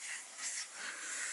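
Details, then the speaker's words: Kenworth T680 truck, underneath: a quiet, steady, airy hiss with the engine off; compressed air leaking from a quick-disconnect fitting. "well looks like I just found my leak it's right here it's this quick disconnect sleeking I hate these things I really hate these quick disconnects"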